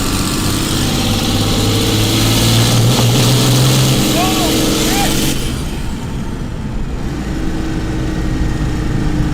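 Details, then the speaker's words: Cummins diesel-swapped Mustang, also with a blown head gasket, on a test drive: diesel screaming at sustained high revs that don't drop back, then a tone change; throttle jamming wide open despite return springs, cause unknown. "The throttle's stuck wide open, >> dude. I don't know why it's doing that."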